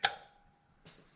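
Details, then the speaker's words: Holley 2092 fast idle solenoid on a Holley 650 double pumper, switched by toggle and relay with key on: one crisp click then a softer tap as the solenoid extends for high idle; clicking normally. "Solenoid. And there you go. There's your high idle."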